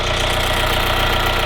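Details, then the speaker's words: 862,000 km VW Golf engine running at idle, power steering noise audible but not the issue: steady idle with even low thrum and faint regular tick in background; engine runs smoothly. "So, until then, you hear that sound? Ignore the power steering. That's not what I'm talking about. The engine is running."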